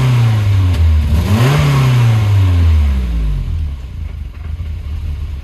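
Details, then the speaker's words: 1984 Volvo 240 petrol engine, freshly revived during restoration: blips then hunts unevenly around 800 rpm with pinging; owner says distributor ignition timing needs adjusting. "I'm gonna have to adjust the distributor timing, because it pings a little bit and the idle's rough, but it tries to idle at 800 RPM and it jumps a little bit, but it free revs pretty well."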